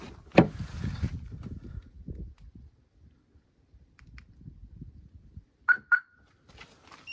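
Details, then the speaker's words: Jeep Grand Cherokee 2.7 CRD after flood, driver door stuck locked, relay contact resoldered: handling noise then two short clear chirps as doors lock; central locking and alarm working normally. "Другий туди масую і слухаємо, що клацає вона. Воно так масує, а ви слухайте тут. Запрацював."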